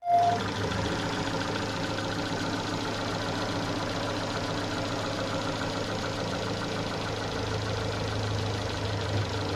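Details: Renault Scenic 2/Megane 2 K4M engine with cam phaser and its solenoid locked closed: faint even knock under a steady drone at 2000–2500 rpm with fixed throttle, gone when pedal moves; vanished on flush oil, returned with 5W40.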